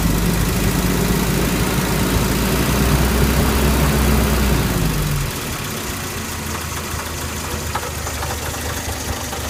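Idling engine with a regular tapping knock, about four a second, following engine speed, then the note drops away; knock present, source unknown.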